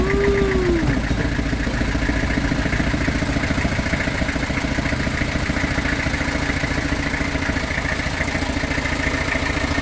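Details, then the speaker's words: Old truck sitting a long time, running on sprayed WD40/lighter fluid on a very hot day: fast uneven chugging with lumpy firing and surging, sounding a little better with more spray and knocking less than before; uneven running. "Oh, that sounded a little better, didn't it? Maybe I should keep spraying the thing."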